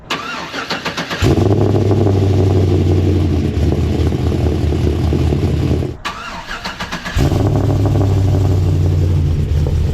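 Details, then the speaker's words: Cold start of a 6.0L LY6 swapped, BTR-cammed Silverado after fitting a scrap resonator and replacing a rotted exhaust section; quick crank then loud, choppy, even lopey idle, no misfire or rattle. Resonator made a huge difference. "Huge difference. It actually sounds really good. Wow, I can't believe that little resonator made that much of a difference."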